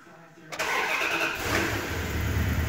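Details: 2001 Dodge Ram 1500 5.9 with intermittent crank-no-start; after tapping the year-old aftermarket PCM restored both 5 V references, it cranks briefly, catches at once and settles to a steady even idle; PCM suspected.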